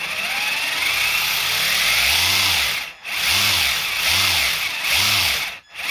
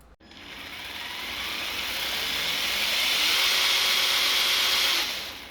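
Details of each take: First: Traxxas TRX-4 Ford Bronco RC crawler, before maintenance of motor, gears, portal axles and diffs: high, rough gear whine rising and falling with throttle bursts, then steady run; noisy drivetrain, cause not pinned down. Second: Traxxas TRX-4 Ford Bronco RC crawler after maintenance of motor, gears, portal axles and diffs: motor and gear whine climbs to speed then holds steady and even with no clicking, grinding or catching; drivetrain runs clean.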